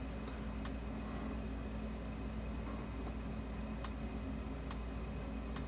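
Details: Sens O Matic electric fence energizer after repair, fence output dead-shorted hot side then ground: sharp single clicks roughly once a second over low room hum, the energizer pulsing normally; removing the short stops the pulsing.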